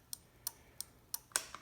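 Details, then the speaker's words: Honda CRF450L with Zeta integrated flashers wired as running lights and signals: steady even clicking about three per second as the flasher relay cycles normally, relay coil now fed from flasher positive instead of running-light positive. "you can probably hear that clicking in the background that might allude to one of the changes I made"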